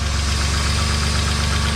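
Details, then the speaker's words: BMW E36 convertible after replacing a cracked oil pan, with fresh oil, idling on stands: smooth, even low idle with a steady beat, no rod knock or tapping; normal noise, no leaks, small exhaust hole noted. "sounds good fresh oil [Music] that's normal normal noise no leaks runs good"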